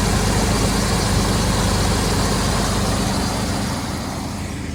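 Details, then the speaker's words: Cold idle of a 1992 Chevy Silverado K2500 3/4-ton 4x4 with a Chevy 350 V8, morning start, hood open, about 40,000 km in the last 8 years: a deep, even rumble with a steady beat, no knocks or ticks, no smoke. Sounds healthy. "See if we can hear the engine roar in this thing. Ooh, she's not bad."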